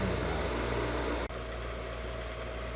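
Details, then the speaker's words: Pool pump motor that hummed but wouldn't start, running normally with a steady low hum and whir after the stuck impeller shaft was spun clockwise by hand; corrosion suspected, capacitor may need replacing. "All right, so now it's turning fine, and that's what you want to hear."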